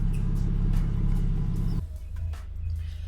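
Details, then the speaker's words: Toyota Supra 2JZ after idle air control valve (IACV) cleaning, still a little cold; low steady idle rumble dipping slightly up and down but holding smoothly without stumbling, more consistent than ever before; normal idle. "goodness she's still idling smoothly like that's crazy it's so like it goes up and down a little bit"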